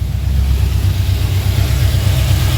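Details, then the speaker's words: HT engine, first start after fixing a bent part that was hitting and causing a noise, with fuel primed and no coolant in it. Catches at once and settles into a steady, deep idle with no knocking or clatter, oil pressure present. Normal idle. "That sounds better. Listen to that. Beautiful."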